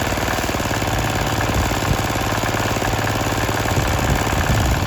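Steady, even single-cylinder diesel clatter at a constant speed with no misses or odd knocks; the engine is running normally.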